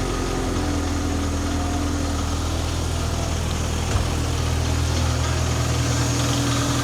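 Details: MK2 Golf GTI being checked for an intermittent idle problem, after wiring checks on the idle valve showed 12 volts: a low, even idle hum at about 1,000 rpm with no hunting or lumpiness. Normal idle.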